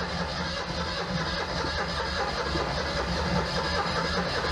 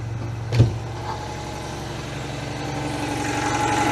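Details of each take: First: Citroën 2CV unrun for a couple of months, with no primer, drawing fuel from the tank: the starter turns the engine slowly and laboriously without catching. Starter seems to be struggling; the owner may add petrol via the air filter. Slow cranking. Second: Citroën 2CV two-cylinder, not run for months, started with petrol dropped in and choke after slow cranking: settles into an even, steady putter with no misses; healthy idle.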